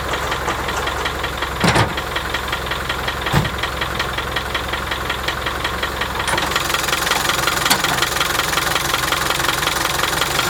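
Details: 1987 Land Rover One Ten, 300Tdi diesel at idle: a rapid, even tick over the diesel clatter; engine previously overheated from a seized water pump bearing, then had an over-skimmed head and thickest head gasket; source not identified.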